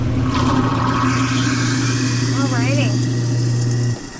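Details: Whirlpool garbage disposal after clearing a jam: steady low motor hum runs smoothly about four seconds with no stalling or growl, then cuts off; disposal spins freely, running normally.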